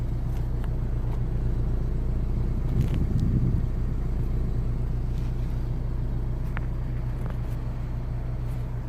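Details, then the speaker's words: 2009 BMW 318i E90, 2.0 petrol, after the cylinder 3 misfire repair: codes cleared, ignition cycled, and a steady, even idle heard at the exhaust with no misses. Possible knock sensor damage is still to be checked. "good good it's running good right"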